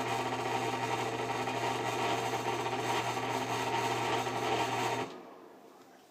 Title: Bad bearings on this exhaust fan